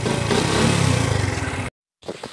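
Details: XRM 125 motorcycle idling in neutral after an overhaul with new bearings, having previously made a grinding noise: a low, slow, even putter with no knock or rattle; normal idle after the repair.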